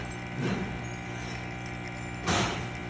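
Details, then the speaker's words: Rocket Appartamento espresso machine during a test shot after a full service, pressure around 1–1.1: an even, steady pump hum with two brief louder surges, consistent and running normally. "so you can hear the pump is nice and consistent now"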